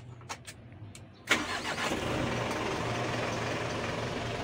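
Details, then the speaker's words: Mitsubishi Canter Euro 4 diesel truck with a complaint of RPM rising by itself without pressing the pedal: the starter cranks briefly, then the engine catches cleanly and settles into a steady, even idle at about 750–800 rpm; a normal start. "ini rpm nya ya rpm nya sekitar 751-800 ribuan Oh 800.000 pakai HAM n800 RPM"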